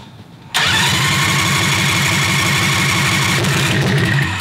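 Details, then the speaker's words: Predator 670cc V-twin dragster go-kart with new homemade header, running 95-octane Sunoco Optima: quiet, then sharp catch into a steady, deep throbbing idle, exhaust rattling a bit as it needs a hanger; healthy start. "sounds good dude definitely sounds deeper than the zoomies here i can see with the uh the exhaust is rattling a bit"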